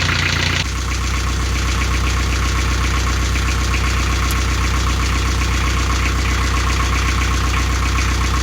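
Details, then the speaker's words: Canaline 42 narrowboat diesel after full service (engine oil and filter, gearbox oil, air filter, belts checked): steady, even idle clatter, regular firing around four per second with no stumbles; owner says engine is fine and sounds happy; normal idle. "e over this bin, the engine's fine, everything looks happy, sounds happy, and I think it's time to go in for a well-earned brew."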